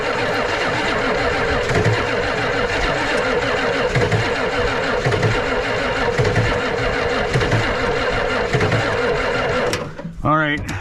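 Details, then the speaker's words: Ford 7.3 IDI diesel cranked to bleed injectors on a low battery: labored, slow, uneven cranking that drags and quits; battery too weak to spin the engine. "she is running pretty low on battery again but let's just see I'm going to crank it over and just bleed the rest of these injectors out a little bit try her again"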